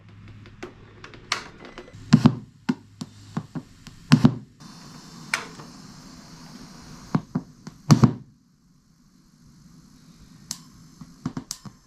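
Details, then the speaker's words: Harley-Davidson with aftermarket amplifier on the stock head unit: sharp pops and thumps over a low hum at audio power-on and power-off, sometimes a smaller screech; fixed with a voltage regulator and delay relay. "I got popping on the way as I turn it on, popping on the way when I shut it off. Every once in a while, I'll get even like a smaller screech."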